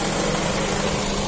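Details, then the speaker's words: Honda Accord 7th generation after engine rebuild with new bearing shells, in Drive with AC on: smooth, even idle hum with no knock or rattle; the earlier engine knock is gone, normal idle. "включаю кондей все заработало и идем работает нормально не стучи и гремит"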